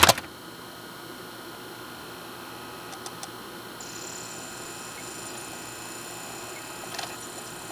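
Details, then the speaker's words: Sylvania DVD/VHS combo, disc loading after a settings change: soft even whir as disc spins up with a couple faint ticks; previously popped and ticked trying to focus, now focusing and reading normally. "you can hear before this thing was if you didn't hear it on camera it was popping and ticking when it was trying to focus on the disc now it's pretty normal"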